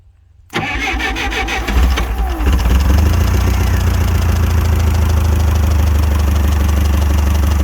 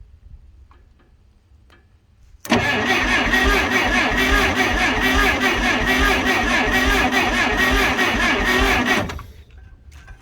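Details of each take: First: Clark C500Y45 forklift, Waukesha D176G engine rescued from scrap, started with starting fluid in the hope propane takes over: starter turns briefly, engine catches within a second and settles to a steady, even, low idle; some blow-by and smoke, still needs tune-up, cap and rotor. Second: Clark C500Y45 forklift with Waukesha D176G engine rescued from scrap, worn distributor cap graphite and points: starter spins the engine in an even chug, about two and a half beats a second for six seconds, never catching; crank no start from very weak spark.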